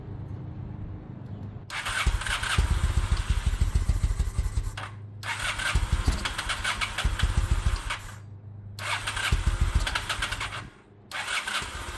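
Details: 2000 Honda Shadow ACE 750 V-twin, stored with old fuel, now running from a fresh tank with the petcock on and choke out: engine barely holds on, catching only with repeated throttle blips and sagging between them; fuel starvation from old fuel in the carbs, not a spark issue.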